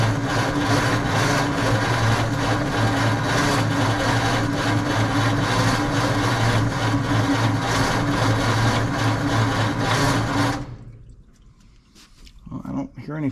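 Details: 1948 Ford F5 truck, dormant nearly 30 years, cranked after the distributor was turned back to adjust timing: an even starter churn at about three beats a second runs ten seconds, then stops; no combustion ever catches, so it cranks without firing.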